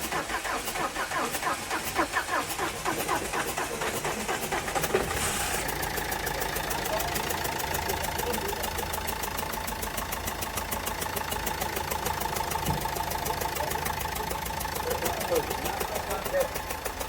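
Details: Renault Duster diesel, cold morning start: cranks about five seconds before catching, then settles into a rough, ticking idle. Three injectors were serviced and one replaced earlier; the owner also reports knocking.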